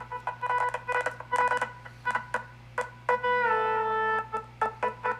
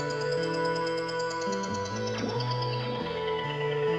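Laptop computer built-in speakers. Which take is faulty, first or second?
first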